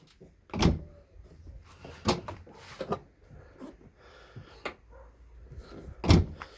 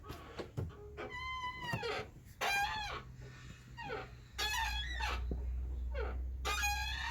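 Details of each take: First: Ford Fusion tailgate after its creaking hinges were lubricated with grease: opens and shuts with only soft thumps on the bump stops, no creak or squeak. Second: Ford Fusion tailgate swinging: high, wavering squeals from dry hinges; owner plans to pull back the trim and grease the hinges.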